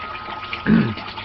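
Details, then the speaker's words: Aquaponics gravel grow bed holding about 25 gallons, siphon drain near the end of draining: one short gurgling slurp rises and fades against a quiet trickle as the water level drops. Normal operation. "We're getting close to the end of the draining out process."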